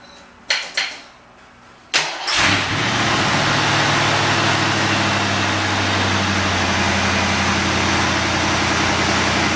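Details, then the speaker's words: 1986 Mustang GT Fox body with A/C, first start after heater core reinstall with new hoses and clamps, low on coolant and needing air burped out: a couple of short starter bursts, then it catches cleanly into a smooth, steady idle. "start it up. Make sure it starts. Hope it starts."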